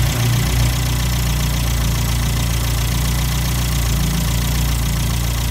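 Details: 1954 MG TF four-cylinder idling after a cold start during compression, coolant and block heat testing: even low putter with steady firing rhythm, no knocks or misses; normal cold idle.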